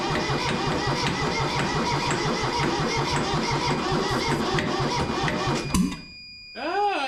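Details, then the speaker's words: Kubota B6100 tractor, three-cylinder diesel, long non-running, heat applied, fuel present: fast, even cranking beat for several seconds with no firing, then stops; owner suspects an injector problem. "I think at this point we have some kind of injector problem."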